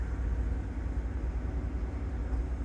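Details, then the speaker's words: 2014 GMC Yukon 5.3 LS V8 at idle with AC on low for load, after new spark plugs and wires for a cylinder 7 misfire (P0307): low, steady rumble with no stumble; RPM no longer fluctuating. "Alright, so the engine RPM is no longer fluctuating. It is holding steady right there, and it has been."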